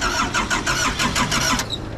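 The starter churns in quick, regular pulses, about five a second, for under two seconds, then stops without the diesel catching.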